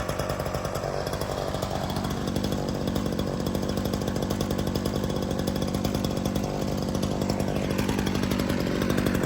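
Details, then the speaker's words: Ryobi RY3716 small two-stroke chainsaw with original air filter and spark plug holding an even, steady buzz without misses or surging; runs really good, clean and quiet. "Runs really good. It is quiet. Very nice little saw."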